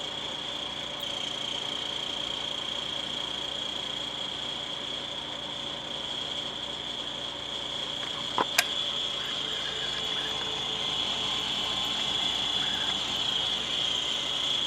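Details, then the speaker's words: Vornado fan running a couple of minutes: high thin steady squeal over fan hum, growing louder as it slows and sputters; owner suspects dust in the motor, fixed by cleaning. "This one runs, but after a couple minutes it'll start making a squealing noise, and seems like something's rubbing inside in the internal parts of the motor."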